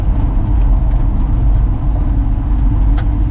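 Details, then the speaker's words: 1966 Ford F100 with the 300 six-cylinder and 4-speed manual, farm-auction truck revived after storage: deep, uneven low chugging as the engine lugs and falters under throttle, then stalls; engine chugging and dying. "oh as i'm just bragging it up now it starts chugging come on baby don't die on me now oh no oh no come on now yeah it definitely died"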